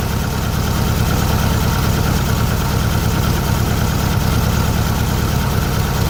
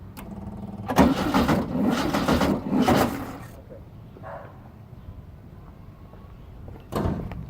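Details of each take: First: 1600cc VW Beetle flat-four fitted with a remanufactured 1986 Suzuki Samurai 1.4L distributor (Spectra Premium) after retiming: even low-pitched chug at steady idle, no misses or stumbles; idling cleanly with a bit more oomph. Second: 1600cc VW Beetle with newly fitted Suzuki 1986 Samurai 1.4L-based distributor, clamp bolt loose, first start: cranks, catches with ragged uneven burst for a couple of seconds, then falters; firing badly off, owner suspects wrong firing order.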